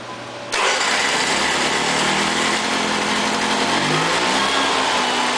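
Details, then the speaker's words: Honda EV6010 generator, hot engine: the choke closes on the warm motor and stops it starting; with the choke held open it catches at once and runs fast and steady, but only for about 3 seconds, the oil-pressure shutdown interval. "when I hold the choke open, it's trying to choke when it's a hot motor. So holding the choke open allows it to start."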